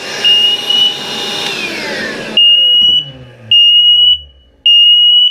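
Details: Emerald smoke alarm: loud vacuum roar, then three long high-pitched alarm beeps about a second apart; false alarm from smoke contaminating the detector, silenced after vacuuming it out and clearing the air.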